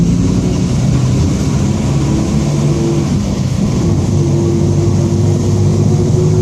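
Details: 2007 Marcopolo Torino city bus on Mercedes-Benz OF-1722M diesel chassis, Grande Londrina fleet 3311, driving; steady low droning hum with even growl under the engine, a growling rear differential.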